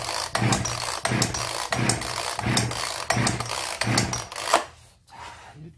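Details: Zenoah 3800 chainsaw, seemingly unused for a long time, choke pulled (it does not fully close, so it is held by hand): repeated raspy pull-start whirs, but the engine never fires.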